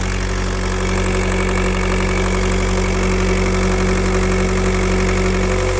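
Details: Idling engine with a constant airy hiss over the hum, like a boost or vacuum leak; turbo tested with VCDS without locating it, owner suspects pressure loss somewhere (turbo, EGR or vacuum pump suspected), source unconfirmed.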